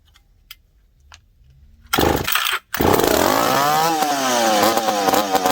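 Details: McCulloch PM700 chainsaw after porting, fuel pumped into carburetor: quiet, then a pull-start catches, fires, drops out briefly, restarts and revs up and down; engine starts and revs.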